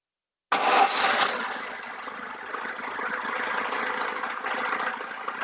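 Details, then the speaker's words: VAZ 2107 after rebuild (camshaft turned 180°, knock removed, ignition set two teeth advanced): starts straight away without choke and settles to a smooth, even idle with no knocking. Normal start and idle. "друзья без подсоса заводится и реально наш результат достигнут"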